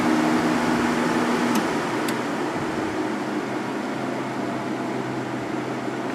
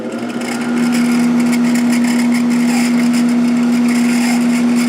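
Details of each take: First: Sharp 10,500 BTU air conditioner after cleaning and oiling fan motor bearings: smooth steady fan whoosh, plenty of airflow, coasts long to a stop, previous bearing squeal gone; normal fan operation, no squeal. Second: Sharp 10,500 BTU air conditioner fan motor after sitting unused, slow to reach speed, running at full speed: steady hum with a harsh repeating squeal from a dry front bearing needing oil.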